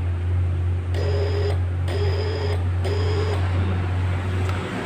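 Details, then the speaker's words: Yamaha Jupiter Z1 with a new starter motor that won't crank: three short buzzing relay bursts about a second apart over a steady hum, no cranking; starter relay clicking as if the battery were flat under load. "kehabisan Akiya Padahal di sini akhirnya baru tapi motor ini seperti kehabisan nakia saat kita starter kedengaran ya suaranya ada pada relay ini ya"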